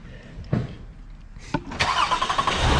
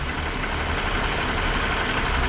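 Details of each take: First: 2017 Toyota Highlander 3.5 L engine at start-up: a few cranks, then rough idle rumble with faint steady whir; water pump visibly wobbling side to side, failing water pump bearing, pump needs replacing along with thermostat assembly. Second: 2017 Toyota Highlander 3.5 L after water pump replacement: even low idle with no squeal, wobble or rhythmic knock from front accessories; no longer making the earlier failing-pump noise, normal idle.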